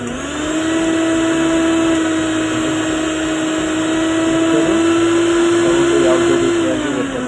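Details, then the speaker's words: Preethi mixer grinder after its melted, burnt inner body was replaced, coupler fitted: the motor spins up to a steady, even hum without rattles or grinding, then winds down; sounds the same as before; normal running. "ವ್ಯತ್ಯಾಸ ಕಾಣಿಸ್ತಾ ಇಲ್ಲ. ಮೊದಲು ಹಳೆ mixer ಯಾವುದೇ ರೀತಿಯ sound ಇತ್ತು ಅದೇ ಥರನೇ"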